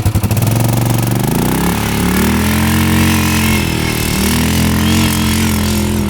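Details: 1998 Yamaha Grizzly 600 4x4 ATV, previously stuck at 10–15 mph, test-driven after the repair: engine pulls cleanly through the revs into a strong, even drone at speed. Easily doing 55; completely fixed.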